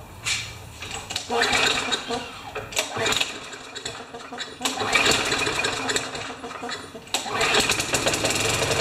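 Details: Craftsman 6.25 mower that smoked on starting and leaked oil out of the dipstick hole, started with a clamp on a pipe: the small engine catches and surges unevenly in ragged bursts, revs rising and sagging; rough running after start, cause suspected, not confirmed.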